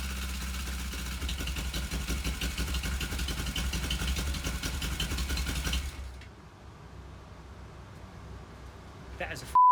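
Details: Suzuki GS450 cafe racer after a stuck-clutch rebuild: even, steady idle for about six seconds with no knocks or rattles, then it shuts off cleanly. Normal idle.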